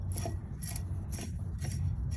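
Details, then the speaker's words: 2000 Dodge Stratus with the splash guard removed: the AC compressor pulley is turned by hand and grinds in rough gritty bursts about twice a second, sticking in spots. The compressor pulley bearing is worn out. "oh yeah you can hear how that grinds real bad yeah that's that's awful that thing shot"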